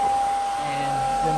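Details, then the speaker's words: Electric engine cooling fan on 12V Cummins-swapped truck, fused power block: strong steady whoosh of air with even motor hum, no rattle or wobble, slight vibration into truck; fan runs normally. "this thing moves some serious air I mean it's it's pretty gnarly so pretty stoked on that"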